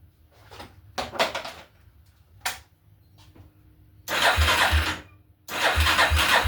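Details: 1987/88 Yamaha Warrior 350 single-cylinder, first start after purchase with new fuel line and fresh wet-clutch oil, on choke: brief cranking then fires and runs strongly, no valve tick — clean normal start.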